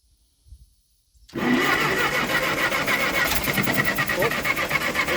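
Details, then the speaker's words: Ferguson TO20 tractor sitting 3–5 years, cranked with choke on: steady cranking at about four turns a second with a single pop but never catches; spark to be verified next. "to pop y'all hear that it popped see what else happens [Laughter] again she ain't wantan to do nothing"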